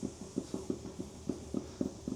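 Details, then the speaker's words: Ifor Williams CT177 trailer rear wheel, sealed-for-life bearing, hub turned by hand with slight side play: uneven gritty low rumble in irregular bursts, said to be a little but not too bad. Worn wheel bearing. "and then you can go turn it, listen for any rumbling. There's a little bit, but it's not too bad."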